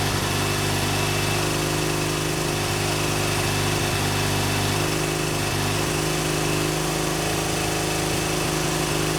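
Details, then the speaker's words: BMW R100GS Paris Dakar boxer twin on its first start after engine reassembly: lumpy, uneven idle with a wandering exhaust note, and oil leaking onto the exhaust makes smoke. It runs rough; cause not pinned down. "i do still have quite a bit of work to do obviously the bike doesn't run great but it does run"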